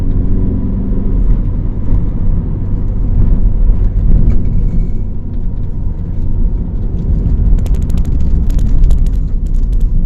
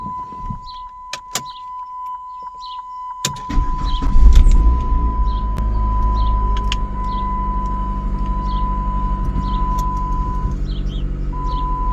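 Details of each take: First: Chrysler PT Cruiser cabriolet, warm, after misfires blamed on dirty injectors and possibly intake: deep, even rumble pulling uphill at 60-70 km/h with no crackle or stumble, even when accelerating; runs clean under load. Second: Chrysler PT Cruiser convertible, check-engine light on, worsening misfire later read as P0302 cylinder 2. After clicks and a chime the engine catches and idles with an uneven, stumbling beat about three pulses a second; misfire.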